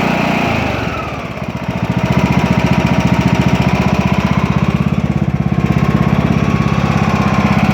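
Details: Craftsman T2200 tractor, Briggs 540cc single, freshly reassembled after camshaft replacement: steady, even thumping idle at constant speed, no knocks or misses; no leaks or exhaust smoke, residual silicone burning off; healthy.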